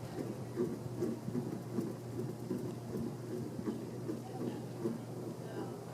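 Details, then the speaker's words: 42-inch Encon Casanova hugger ceiling fan, bought new around 2014, at medium speed: steady low buzzing hum with faint rattle, fan wants to wobble but can't in its fixed hugger mount. "yeah it's definitely it's loudest right now it's like as if the fan really wants to wobble but can't because it's a a hugger fan in a fixed position"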